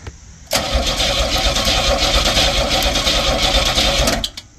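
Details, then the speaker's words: Fiero GT V6, 52,000 miles, sat 11 years, cranked with jump pack: steady fast cranking that never fires; turns over but won't start, plenty of spark, no fuel pump sound heard, fuel pump suspected. "yeah I don't hear anything from the fuel pump do you have starting fluid I don't think I do good ahead yeah plenty plenty of spark so we've determined it's definitely the fuel pump cuz it's been sitting 11 years"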